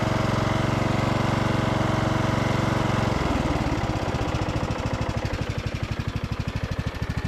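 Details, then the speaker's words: Briggs and Stratton powered Craftsman DLT3000 riding mower after repairs for no-start (fuel line cleaned): steady single-cylinder thump, even firing, slowing toward the end, no miss or knock; runs fine. "sounds good though side one down just fine"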